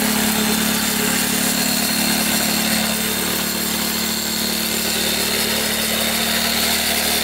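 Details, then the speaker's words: 1984 Yamaha YZ 490 two-stroke after being flooded, warming up, plug possibly fouled; crisp, steady idle with even popping rhythm, no stumbling or misfires; normal two-stroke idle. "so that guys finally got the bike running it was just really flooded it seemed like but runs great now just warming it up before we take the GoPro ride"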